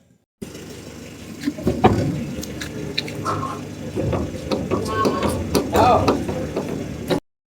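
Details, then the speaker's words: Irregular metallic clunks as a car door is rocked by hand, from loose hinge screws; suspected source of a rattle over bumps, hinge retightened. "So ayan po yung kalog niyan. So mabuti nga lang eh hinanap namin ng hinanap kasi ayan yung kalawang na yan ah pwedeng matanggal niya na yung o mapunit yung mismong pinagkakabitan niyang bisagra na yan kasi napakalaki na ng kalog."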